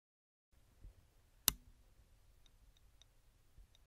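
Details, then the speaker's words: Failed hard disk at switch-on: near-silent, one sharp click then faint ticks from the motor attempting to spin, with no spin-up whir. The platters stay still, and the spindle motor is suspected to have failed. "this is an interesting one because probably your first thought is the clicking noise is a problem with the drive head have a another Liston and see what is missing rather than what you hear you will notice that the sound of the motor of the hard disk is missing so I suspect the motor in this hard disk has failed"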